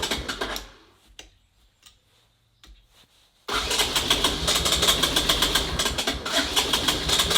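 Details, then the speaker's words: 1984 ATC Big Red three-wheeler failing to start: cranks with loose uneven pops that never catch into a run; misfire/detonation from spark plug with no gap. "we have no gap in the spark plug so I'm sure you guys heard that loud popping noise"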